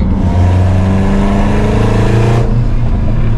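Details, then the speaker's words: Ford Mustang GT350 V8 under hard acceleration while racing: pulls hard but has a raspy, flat, buzzy tone like a four-cylinder Honda instead of a deep burble; the car is believed to have developed a bad exhaust leak. "So I think that the GT350 has developed a pretty terrible exhaust"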